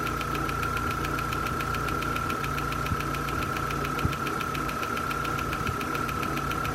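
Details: 2001 Vauxhall Corsa C 1.4 16V petrol idling once warm, fast even ticking over the idle with a faint steady whine; the ticking grows louder the longer it runs.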